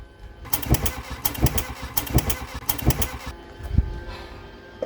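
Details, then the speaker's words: Mk1 Volkswagen Golf paddock find on first start attempts with a substitute coil: sharp heavy bangs roughly every three quarters of a second, barely firing, then dies; very rough running. "well that could classify as running it doesn't but it does it's making some really interesting noises I've never heard those kinds of noises from a car before"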